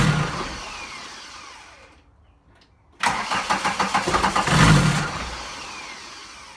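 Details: VW 1.6 TD diesel: quick rhythmic cranking pulses swell into a brief uneven surge, then fade without catching; cranks but won't start, only surges.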